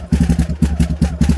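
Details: Yamaha Raptor 660 with a rebuilt engine bored to 686, new carburetors and billet intake spacers, warmed up at low idle. An even, lumpy single-cylinder putter of about ten pulses a second, steady: a healthy idle.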